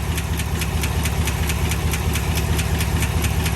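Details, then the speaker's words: 2021 Chevy Silverado LT Trail Boss 6.2 V8 at about 5,177 miles, no check engine light: sharp, even tick about twice a second over a rough idle; owner suspects a dropped lifter, not confirmed. "oh my gosh did y'all hear that 5 000 miles oh my gosh this has got to be a prank oh yeah that is not good"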